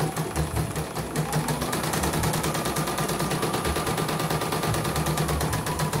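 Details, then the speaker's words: CNY embroidery machine (M21 label; owner's note: heavy rotation, just back from another service, unusable) sent in fully jammed; test run after repair on small frame, cover closed: fast, even needle clatter, no catches or skipped stitches, normal running. "jahitan juga bagus ya, kita lihat tidak ada yang loncat."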